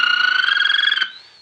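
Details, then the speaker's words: 1933 RCA Victor Model 120 cathedral radio with iffy original capacitors, brought up to 100 volts: squeaky pulsing tone puttering about twenty times a second at high volume, then sweeping off; motorboating oscillation. "so we got it up to 100 volts we've got motor boating at high volume"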